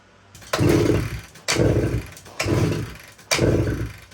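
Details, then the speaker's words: 1972 Suzuki TS185 two-stroke, gas poured down spark plug hole: four kicks about a second apart, each a quick chuff that dies without catching; cranks but won't start; owner suspects very low compression. "so she just doesn't want to fire up even with gas down the cylinder I'm really thinking that it's just got such a low compression that it can't can't fire up"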